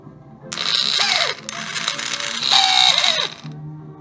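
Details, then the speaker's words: Old TaoTao 110 ATV starter motor bench-tested on 12 volts: short whirring bursts with a high whine that wind down and stall; dead spot, bearing suspected to need lube; teardown later found an overheated, melted, fused plastic brush housing. "there you go doesn't work see it so it has a dead spot and it sounds like a bearing uh has to be lubed in here"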